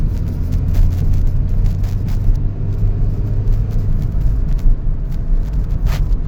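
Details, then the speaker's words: 2000 Toyota Celica GT on a test drive at about 40 mph after new parts were installed, warmed up: a low, even engine hum under road rumble with no stumbles or knocks. It runs smooth, and the earlier vibration is gone. "Everything's perfectly fine, guys. Yes, sir. Running smooth."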